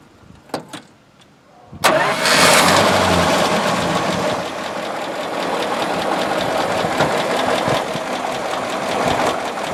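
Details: 1936 Buick Special Series 40, 93 HP 233 cubic inch low-compression six with 3-speed manual, started with hood open: fires on the first turn and settles into a steady, soft idle with no knock or miss.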